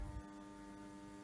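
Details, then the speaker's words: Servis M6011S washing machine on a 60-degree wash with only the cold hose attached: hot inlet valve solenoid hums steadily with no water rushing in; not the motor, hot supply missing. "so it sounds like it's not getting any water, which is funny. So it's not the machine motor, it's up here."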